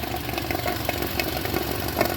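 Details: 2020 Hyundai New Santro, only 890 km, overheated with engine light on: uneven petrol idle with irregular sharp ticks and knocks, misfiring and rough; coolant mixed into engine oil and water in exhaust, head to be removed.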